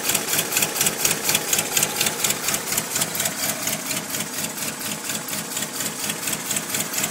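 Fast, evenly spaced light metallic ticking over a faint idle, steady throughout; an unusual tick whose source cannot be pinned down.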